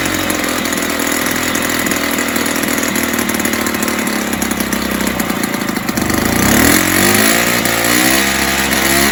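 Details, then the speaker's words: 1970s Puch Maxi E50 50cc two-stroke moped engine bench-started with parts missing, carb leaking slightly: raspy buzzy idle wandering and surging before picking up; stays rough, owner thinks carb needs cleaning and tune. "but i think the carbon needs to clean out and tune up anyway but i managed to get ticking over of sorts"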